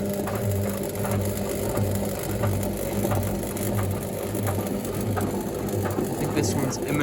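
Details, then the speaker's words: Indesit WIDXL126S washer-dryer found on the kerb: steady hum with heavy rhythmic clunks, about 94 a minute, as the drum rocks back and forth but never builds to spin speed. The owner suspects the motor brushes are arcing. The washer fails to spin. "it's doing the same thing as that other one if i was working on a day or two ago just keeps faffing around it doesn't actually spin"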